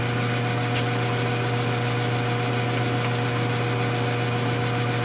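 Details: Vintage Shopsmith 10ER with slow speed reduction kit, 1725 RPM AC motor, headstock cranked down from 1361 to about 208 rpm; steady, even low hum with no knocks or rattles, running smoothly with high torque.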